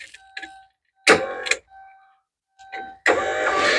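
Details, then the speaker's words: Porsche 944 left in the woods for a year, powered up on a battery: window motors run both directions with steady even whine, no grinding or straining; normal power window operation. "So those are going in both directions like they should."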